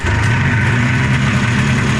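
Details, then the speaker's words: Arctic Cat snowmobile two-stroke after carburetor rebuild with float set lower for more fuel: loud, even burble with steady low throb and no stumbling; normal running. "All right, well, there you go. She runs sassy now. So the carburetor's all done."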